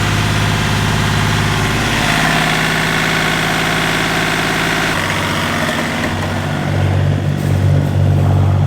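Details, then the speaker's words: Marine inboard diesel boat engine at idle with heavy, low shudder about four times a second, far more vibration than normal; mechanic suspects the non-original metal mounting structure without rubber engine feet. "as you can see it is vibrating a lot it's normal that you have some vibration but this it sounds and looks like it's a little bit too much"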